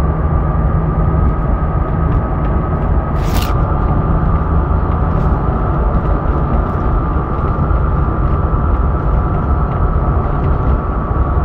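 A steady high whine near 1.2 kHz sits over constant low engine rumble without wavering; source not identifiable by ear.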